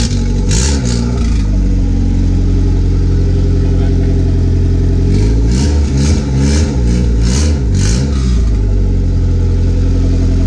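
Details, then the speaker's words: Turbocharged Honda B18 with intercooler and blow-off valve, started cold on blocks before engine removal; idles with an even, steady beat, takes several quick clean revs and settles back, no knocks or misses; owner says it's turnkey and pulls, with occasional starter issues. "We're gonna put it on some blocks, turn it on, move it up, so y'all can see this runs. This thing pulls."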